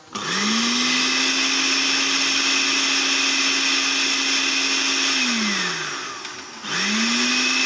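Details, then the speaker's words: Blender that only ran briefly before cutting out, after repair of its faulty module, on its slowest setting: spins up to a steady even hum, winds down and restarts cleanly; normal running. "Ya sudah nyala ya ini yang nyalanya betul-betul sekarang Coba kita ganti yang disini Oke sekarang kita coba puter yang paling pelan di sini ya"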